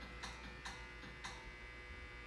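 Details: Otis hydraulic elevator with older Series 1 fixtures, installed circa 1992: sharp dry clicks, three or four in a couple of seconds, over a low steady hum while the car sits idle. Source unclear, possibly a relay behind the COP or on the cartop.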